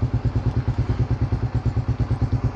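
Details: Raider 150 Fi motorcycle after a battery replacement fixed its failing push start, now starting: even single-cylinder putt at about eight beats a second, steady with no misses; normal idle.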